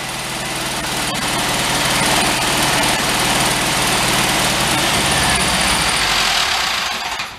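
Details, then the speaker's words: Free Karmann Ghia VW engine, run on a lift: rough clattering run with a fast steady knock about four beats a second; heavy internal knock, owner suspects rod knock or camshaft, not confirmed. "that sounds awful all right guys with that although it's a failure I'm gonna call it success on one side and a failure on your other we got to run but I think she's just a poor engine at some point we may tear it down and try to find out what that noise is my guess it's either camshaft or it's just a rod that's knockin"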